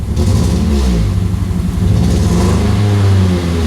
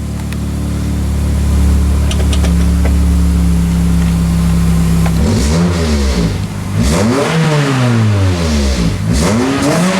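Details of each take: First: 2003 Pontiac Vibe GT four-cylinder idling rough and lumpy with an uneven off-beat pulse, muffler shaking; only a catalyst code stored, misfire suspected from bad coil or spark plug. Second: 2003 Pontiac Vibe GT four-cylinder petrol after replacing coil packs and spark plugs for a misfire: idles smoothly and revs cleanly, zero misfires across all four cylinders; a separate check engine code remains.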